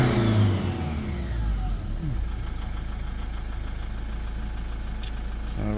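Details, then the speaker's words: Lexus IS220d diesel after the EGR valve was cleaned and refitted: a quick rev that falls back cleanly to a settled idle with no hesitation or surging. EGR working, no codes; normal revving after repair. "Short clean up. Uh exhaust gas recirculation working and she's revving"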